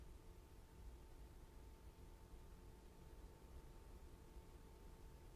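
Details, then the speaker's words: SetPower X50 50-quart 12V/120V/battery fridge-freezer cooler on max with a 7-degree set point, microphone right at the compressor and fan. A faint, steady low hum and soft whir over a quiet hiss, running smoothly at about 58 dB max. "So compressor's running, fan's running. Don't know if you can hear that, but it's running."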